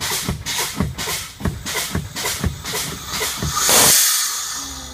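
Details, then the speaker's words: Old truck, CDL air brake test: rhythmic air bursts per pedal pump, then long rush as spring brakes pop out at primary and secondary 40 psi, within 20–45 psi; normal air system. "Primary is at 40, secondary is at 40. This was a good test because my brakes popped out in between 20 and 45 psi."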